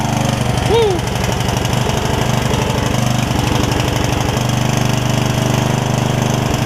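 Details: Yard Machines rider single-cylinder, revived after its engine filled with water, thumps about three beats a second, uneven and lumpy. The owner suspects it is rich, notes a rust cloud, and says part of the miss is the valves not being gapped after refitting the valve cover.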